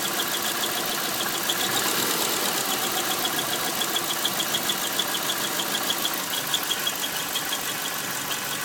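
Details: 2001 Subaru Outback EJ251, idling: high chirping squeal pulsing about three times a second from the transmission flange area; not accessories, belts, tensioners or release bearing, heard with clutch pressed or released, vanishes on throttle; crank bearing suspected, source unknown.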